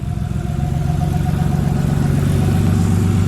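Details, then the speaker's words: R33 Skyline: lumpy idle with an uneven stumble about four times a second, note changing as cylinders one and two are tested; misfire traced to a spark problem, spark plugs need replacing. "we're hoping for a miss and cylinder one and two once again the note has changed"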